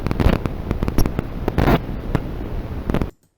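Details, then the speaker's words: Chuwi HiBox Hero mini PC (Atom X5 Z8350) built-in microphones recording in Windows: loud harsh crackling static with uneven pops, one to two a second, then silence; owner suspects faulty unit or drivers. "I'm going to have to turn this down because it's a very, very loud interference static"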